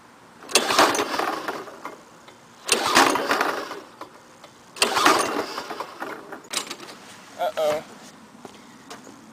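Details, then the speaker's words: Lawn-Boy 5127 mower, first start after 10 years in a shed, fresh gas, Walbro carburetor, full choke, no primer: three pull-cord strokes, each a quick whirr with no firing; no spark from a fouled spark plug. "I think she has no spark oh yeah definitely one fouled up spark plug"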